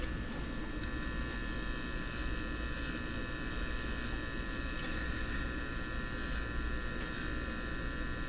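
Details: Canadian General Electric C67 tube radio after capacitor replacement and tube base contact cleaning, still very quiet on stations. Steady low hum under faint even buzzing that never changes with tuning: hum in audio output, cause unknown.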